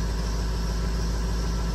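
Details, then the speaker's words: Rebuilt 6.0 Powerstroke F550 after a sudden shutdown, idling after IPR work to purge air: a deep, steady rumble with no misses or surging. Not the high-pressure oil pump. "so i'm just gonna let this run for about 10-15 minutes and uh you know let the air just get out let it clean up"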